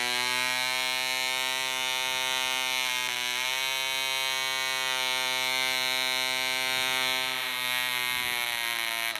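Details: DC Spitfire 1cc model diesel on an 8x4 prop, D2000 fuel: high buzzing drone sags and wanders in pitch several times as the loose needle valve rotates with vibration and the compression screw winds itself out.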